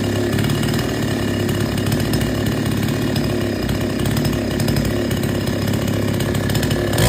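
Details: Chainsaw that would not take load, after H/L screws set fully in, then out three turns. It holds a steady, even buzz through the whole wood cut without bogging or surging: normal cutting under load.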